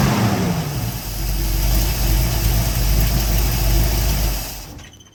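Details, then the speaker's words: 1969 Pontiac Firebird V8 with fuel starvation: no fuel reaching front carburetor bowl even with tank cap off, fuel pump possibly bad; revs and holds briefly then fades and dies within seconds, stalling. "There's still no fuel to the front bowl right now, even with the cap off."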